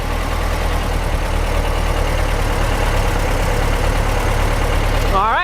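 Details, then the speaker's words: 1955 Porsche 356 Pre-A Speedster flat-four, warm, after carburetor balancing: smooth, even idle with a steady low rumble and no misses or knocks; normal idle. "takes up the power really nicely that sounds pretty sweet actually"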